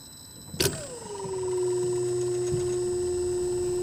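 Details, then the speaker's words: EG4 solar hybrid mini-split outdoor unit, cold day, standing pressure 117, switched to heat mode: short whooshing swish then hum settling lower; reversing valve shifting normally. "You can hear that little swish. That is the reversing valve switching. If you hear that, that means that that reversing valve just switched."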